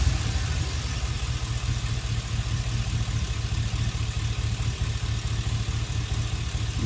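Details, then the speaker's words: Chevy Express V8 at idle after injector 1 was reconnected, the loose connection on that plug having caused the cylinder 1 misfire. Low, steady idle with an even beat and no stumble. No misfire, normal idle after the fix. "there is no misfire. So probably I have a loose connection on my fuel injector number 1."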